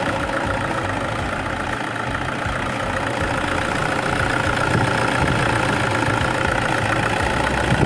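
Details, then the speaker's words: 2010 Toyota Innova idling after alternator pulley work: steady, even idle with a smooth low rumble and no squeal or chirp from the belt end; the noise is gone, engine and pulleys healthy. "So ayun mga kauto, wala nang ingay. So okay na mga kauto."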